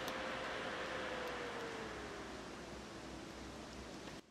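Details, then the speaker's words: Mini PC built from a laptop i5 board, single CPU cooler, no case fans, at first boot: airy fan whoosh with a faint tone sliding down as rpm drops once temperatures stay low; normal fan spin-up. "여러분, 잠깐 들리셨는지 모르겠는데 처음에 부팅할 때, 워밍업 할 때 이렇게 CPU 쿨러만 조금 소리가 났잖아요. 그리고 나서 이제 온도랑 이런 게 그렇게 높지 않으니까 쿨러 회전수가 낮아진 거거든요."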